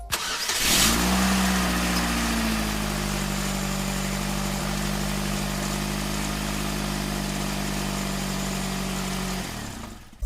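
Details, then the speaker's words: Known-good starter motor bench-tested off the vehicle, powered directly from a battery: clean, steady electric whine that spins up at once, holds an even pitch for eight seconds, then winds down; normal healthy starter. "when I touch it's spinning"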